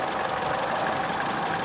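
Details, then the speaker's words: Proton Inspira idling with aircond and lights on for belt load after repair of a knocking noise at the belting area (loud on cold mornings when reversing), one-way bearing pulley area checked: smooth, even idle, no tick, noise gone. "Okey selesai bunyi settle dah senyap ah."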